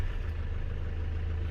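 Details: 2007 Ford Transit diesel after fitting a new drive belt: steady, even idle with smooth low hum, no knocks, squeals or belt chirps; battery light off, power steering working; normal idle.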